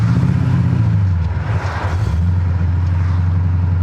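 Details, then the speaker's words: 1979 AMC Spirit AMX, AMC 304 V8 converted to ACES throttle-body EFI, after tuning fix: clutch in, revs drop and settle into a steady, even low idle without stumbling or stalling as it previously did. "I think we did it boys I think we found my mystery problem it's not dying"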